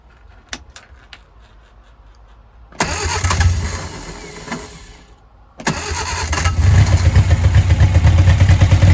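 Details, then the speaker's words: 1959 Reliant Regal Mk5/Mk6, first run in over 20 years, full choke that cannot be adjusted: engine catches, fades, fires again and settles into a fast, rich, lumpy idle with heavy smoke and oil pressure present. "It's on full choke and I can't adjust the choke. Right, let's see if we can take her off a choke now and see if we're quick enough, if she'll carry on going."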